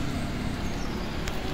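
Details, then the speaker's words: Hyundai Ioniq EV, hood open, on a 7 kW charger: a steady, heavy, engine-like roar felt through the steering wheel. The radiator fans are at maximum cooling the onboard charger, and the noise stopped when charging stopped. "do i really have an ev when it's this loud it's just those fans that's the loudest i've ever heard the car go"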